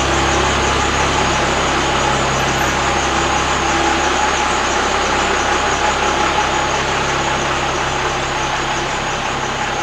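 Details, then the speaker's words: Cummins diesel flatbed truck with dual stacks; even, steady diesel idle with smooth regular beat, no knocks, misses or rattles; normal idle. "that's nice that dual stack sound that's what i was after"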